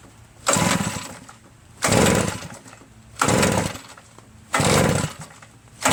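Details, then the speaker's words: Redmax EBZ8050 backpack leaf blower reassembled from pieces. Brake cleaner was sprayed in with the throttle open. Repeated pull-start rasps about every 1.5 seconds give one pop but no start. Owner suspects carbon-stuck rings causing low compression. "And there was one pop. Went pop, just like that. Nothing else happened. I've been pulling this for like 100 times."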